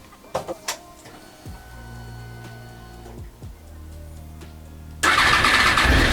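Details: Honda VFR 800 with new ECU and HISS system, after dashboard clock repair attempt: quiet electrical hum, catches around five seconds, then loud, even, steady run with no knocks; normal running.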